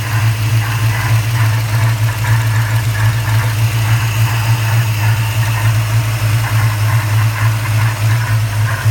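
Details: 1994 Chevrolet Caprice LT1 V8 at idle, recorded under the hood: deep constant hum with a faint whooshing rub; cause unknown, owner seeking input; whooshing rubbing noise.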